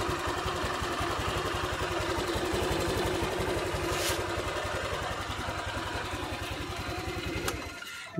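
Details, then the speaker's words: Honda Vario 150 scooter at 93,000 km, after an oil change to a Bimoli cooking-oil mix with a little Shell Rimula R4X: an even, steady idle putter with no knocks or rattles until switched off. The owner says it still sounds smooth and normal. "Mbah sudah saya matikan ini suaranya masih halus tetap enteng tetap normal performa enak sarikan enteng"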